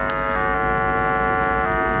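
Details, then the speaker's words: Car amplifier playing a 50 Hz test tone into a test speaker through a 100-volt capacitor filter: harsh raspy buzz with the gain set too high; the amplifier is clipping. "Okay, this is the clip signal you're hearing."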